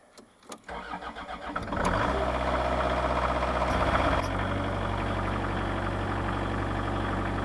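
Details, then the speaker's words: Kubota KH-90 mini excavator diesel, about 4,900 hours, long-sat, cold start: brief cranking, catches in about two seconds, settles into steady even idle with no misses or knocks; starts fine, needs a little glow. "it starts okay for the amount of hours it was all right four thousand nine hundred hours fuel gauge doesn't work or is nothing in it i don't know the engine does need a little bit of glow"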